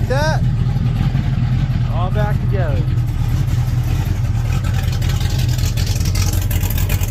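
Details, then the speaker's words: 1967 El Camino small-block Chevy 355 with Vortec heads and a big cam, idling after stamped-steel rockers were replaced by PRW 1.5 roller rockers. Steady, lumpy-cam burble with no ticking or tapping; it runs well and sounds completely different, smoother and less choppy. "Running good. Crazy. It sounds completely different."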